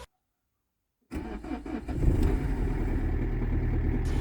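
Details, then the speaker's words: Renault Megane 3 1.5 dCi diesel cold start at -10°C, everything iced: brief crank, then it catches at once and settles into an even, steady clatter; healthy cold start. "start Like A Champion like a freaking Champion everything is ice everything is closed and they start like a freaking champion"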